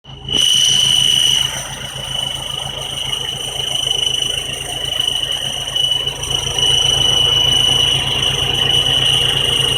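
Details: 1999 Honda Civic idling: steady high-pitched squeal from downpipe-to-resonator pipe joint with no gasket, engine vibration rubbing the two metal pipes together; fitting the proper gasket stopped the noise.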